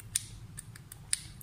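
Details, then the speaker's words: UPS/inverter push switch jammed by dirt in its spring, being cleaned with petrol and pressed repeatedly: sharp creaks and clicks at irregular intervals as the spring starts to free up. "ये आप देख सकते हैं, अभी ये आवाज़ दे रहा है कि ये ठीक हो रहा है।"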